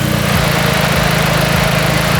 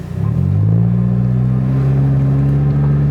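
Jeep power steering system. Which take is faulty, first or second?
second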